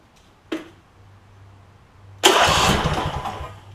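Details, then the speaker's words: Replacement Briggs and Stratton V-twin for a John Deere E140 lawn tractor, first start with carb spray: a few seconds of quiet cranking, then catches cleanly into an even idle; owner wonders whether an ignition coil is bad, but it sounds good; normal start. "doesn't sound too bad I don't know if one of the ignition coils has gone bad but let's see"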